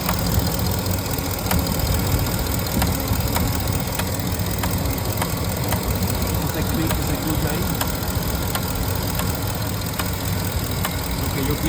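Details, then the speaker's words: 2015 Ford F-250 6.4L diesel idling with a loose, slightly uneven sharp click about once a second over the clatter. No codes, but it misfires and loses power on hills. Owner suspects the electronic throttle body and is replacing it; cause unconfirmed. "No tiene código, no tiene nada, pero sí se siente con misfire, o falla, hasta pierde fuerza también donde hay una pendiente."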